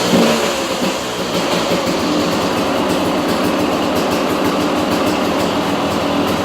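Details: 2002 KTM 200 EXC two-stroke, first start after top-end rebuild: busy, raspy running with throttle blips and no knocks or rattles; rebuilt engine sounds normal.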